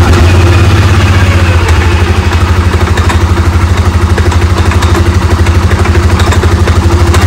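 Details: Polaris Sportsman 550/850 after clutch shim adjustment for hard shifting and creeping at idle: steady low idle, even pulse about three per second, nothing clattering through the clutch; normal idle.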